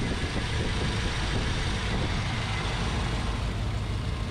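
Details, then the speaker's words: C3 Corvette V8 just after installing new FiTech EFI system and new intake, first start: steady even engine rumble, no misses, knocks or surging; idling very smoothly. "this thing you put your hand on the motor you can't believe how smooth it the engine"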